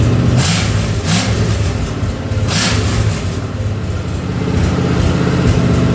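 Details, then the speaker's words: Ford 302 V8 for an 84 Mazda truck, converted from EFI to carburettor, sat two years, first run on engine hoist: steady deep running with throttle blips rising and falling cleanly, no misses or knocks; timing roughly set, healthy. "the sounds good that is exciting it's my first time ever doing that"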